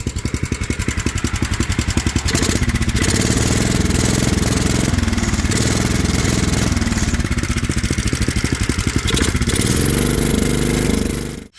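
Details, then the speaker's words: Older Kohler single-cylinder on a homemade mini tractor-truck after a new carburetor, new fuel line and fresh fuel, untuned, choke use uncertain: steady, even thumping beat holding speed, then clean shutoff; sounds good, though spark plug and air filter are worn. "So I'm going to see if she fires off and see what happens. I don't know if it'll need choke or not, but we'll go from there. Woo! She sounds good."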